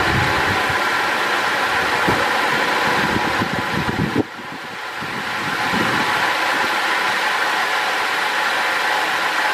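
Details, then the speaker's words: 2005 Holden VZ Crewman 3.6L V6 Alloytec at idle around 950–970 rpm: rough, uneven low thumps and a stumble, then a sharp drop as a coil is unplugged. A coil with no change when pulled is the dead one; misfire traced to a faulty coil pack. "and if you pull it out and there's no change to the engine, well obviously that means that one's not working to start with, and that's probably going to be the problem issue."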